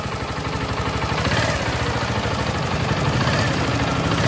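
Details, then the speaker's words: TVS XL100 BS6 after timing chain tensioner spring fix and tightening with a 10 mm spanner: steady, even single-cylinder idle with a soft regular pulse and no timing chain tapping or rattle; normal idle after repair. "देखिए दोस्तों, आवाज़ जो है एकदम silent हो गया है। गाड़ी में अब टाइमिंग चेंज का आवाज़ नहीं है।"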